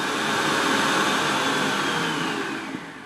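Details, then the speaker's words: KAM KFHM 1000 fog and haze machine, fan speed adjusted before floor test: loud, steady rushing whoosh holding even then tapering as it winds down, no rattle or scrape; quite noisy but fine, normal fan. "that's the fan speed it's quite noisy but you can see it floating in the back there but it's absolutely fine"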